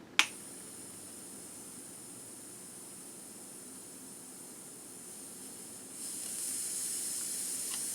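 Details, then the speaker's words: Air Venturi Avenger air rifle with aftermarket stock, degassing before power plenum install: sharp snap, then faint hiss swelling to a louder, steady high hiss as air vents; normal degassing. "So I'm going to start it. You're going to hear it degas."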